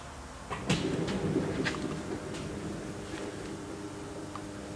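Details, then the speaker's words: Chevy Uplander power sliding door after repair, fuse reinstalled: motor whirs briefly, door pulls in and latches with a solid clunk, motor shuts off, door sits flush; normal operation. "pulls all the way in and latches and you can hear the motor shut off and if you look right here we're nice and flush again"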